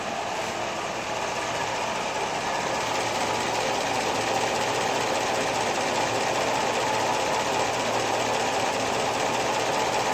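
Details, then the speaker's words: Top-end-rebuilt engine with Comp Cams Evolution hydraulic roller lifters, driver's side at hot idle, after 14 hours of run-in and a couple of oil changes, exhaust piped outside: a dull, even ticking about three to four per second. Normal lifter noise; they started out clacky. "so basically you hear some dull clatter it's kind of dull and even there might be like one keep in mind that's not what it started out like at the very beginning they were uh they were clacky and noisy and they had to be run in"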